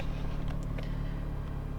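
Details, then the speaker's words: Opel Zafira A 1.8i X18XE1, cold engine, lambda not yet working: low idle pulses and wavers unevenly, car getting shaky; owner complaint cold-start misfires, stalling, rich mixture, no fault codes; rough idle traced to faulty MAF sensor. "Still the lambda is not working. I guess it's not heated up, but the car is getting shaky."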